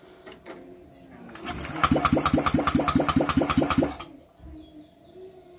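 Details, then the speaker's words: Honda Vario 125 fuel-injected scooter after cleaning and fuse repair: fuel pump runs, starter whirs about two seconds at roughly five pulses a second, engine turns over but won't start. "Kayaknya sudah aman untuk sikringnya, tidak putus. Tapi masalah berikutnya adalah ini tidak mau hidup mesinnya."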